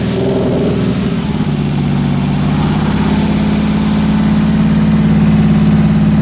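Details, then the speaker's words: Nissan 300ZX after alternator replacement, wiring cleanup and coolant leak repairs; a leak is still suspected. Engine settles into an even, smooth low drone with no knocks, misses or smoke; normal running. "so yeah it's not smoking it just still sounds healthy"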